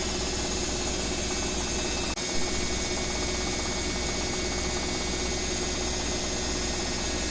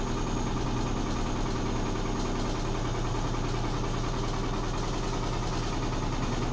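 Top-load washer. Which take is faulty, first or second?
second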